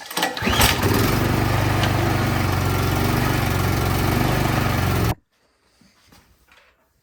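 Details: Troy-Bilt Storm 2660 snowblower after carburetor cleaning for old ethanol fuel and a clogged emulsion tube: small engine fires, runs steady and even about five seconds, shuts off cleanly; normal running.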